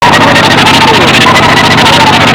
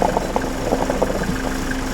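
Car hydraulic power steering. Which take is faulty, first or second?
first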